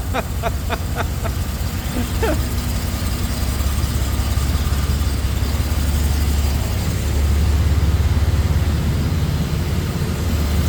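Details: 1971 Jaguar E-Type V12 fuel-injected, first start after a two-year rebuild, throttle body not yet adjusted: deep, lumpy idle with an uneven pulse because three injectors were not connected.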